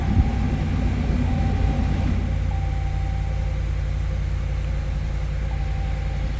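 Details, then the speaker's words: 2019 Dodge Ram after body-shop wire repair with wrong wires connected, jump-started on suspected weak battery: steady low rumble idling evenly after catching, no misses or knocks; normal idle. "Okay, I have the jumper connected. There we go, it started."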